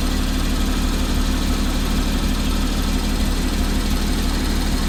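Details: 2014 Porsche Cayman at 34k miles, petrol engine idling with a deep steady rumble and a faint, fairly regular ticking on top.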